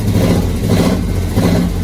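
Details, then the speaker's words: 1979 Ford truck V8 running on seven cylinders after a severed spark plug wire: a lumpy, stumbling note with uneven beats as it revs, not peppy. It was run at full throttle until it seized, with coolant spraying out. "we're going to put the batteries back in try to start again see if it'll run on seven cylinders"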